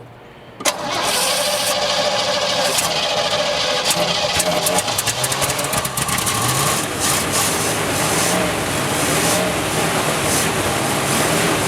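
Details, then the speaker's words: 1967 Chevy one-ton pickup, first start after pouring fuel in: engine catches, then runs ragged and uneven with throttle held to the floor, flooding; likely clearing excess fuel. "sorry well she uh runs half F there she's flooding she flooding she probably won't start now"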